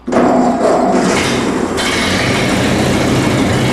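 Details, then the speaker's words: Vintage Ford tractor: engine catches straight away and settles into a steady, even idle with no misses; good idle. "Okay. I can live with that idle. That idle is good enough. I'm not going to mess with the idle back there."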